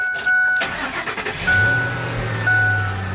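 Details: Truck at auction, coolant and oil looking good: a short crank, then it catches at once and settles into a steady, even idle with a faint tune playing behind; healthy start.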